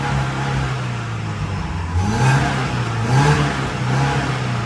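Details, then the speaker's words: Tata CNG engine idling after being run a while, then two clean throttle blips: acceleration now normal after replacing the spark plugs and restoring the owner-modified fan wiring, following a throttle body replacement that hadn't fixed the failure to rev. "ติดเครื่องร้านรอบเดินเบาไว้อันนี้เร่งได้ปกติแล้วเนี่ยอ้ะ"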